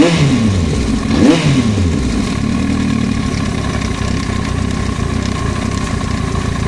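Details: Yamaha YZF-R1, quick rev blip then settled idle: light, rapid tapping over the engine, foreign noise from the cylinder head; engine top-end knock.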